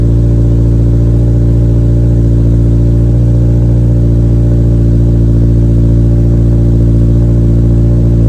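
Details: 2023 Toyota GR86 just after installing an aftermarket exhaust (transcribed "NVIDIA 1") in place of the OEM system, heard on its first start after install. Deep, steady low rumble with no rattle or raspy buzz. Normal, healthy exhaust note, night and day from stock.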